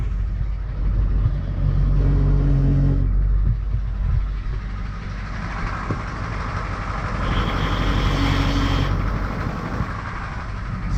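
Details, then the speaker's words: Truck started after sitting 3+ years, idling and revving; a thin high squeal rises for a couple of seconds when the brake is applied, owner suspects something with the brake booster. "but when I hit the break it squeals so that's probably why he parked it"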